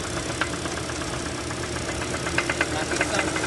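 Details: Hyundai Sonata DN8 2.5 MPI: sharp, uneven ticking knocks through the idle that grow more frequent toward the end. Engine knocking whose cause is sought by teardown.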